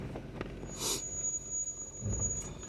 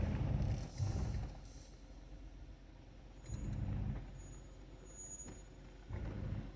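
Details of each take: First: Stock 2020 Jeep Wrangler Willys descending an off-road trail in low range on automatic hill descent control; a thin, steady high-pitched brake squeal over low rumble, though the brakes were recently inspected and are not worn. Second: Stock 2020 Jeep Wrangler Willys descending a rocky trail in low range: low, pulsing gentle hum in bursts as hill descent control works each brake individually to hold crawl speed — normal operation.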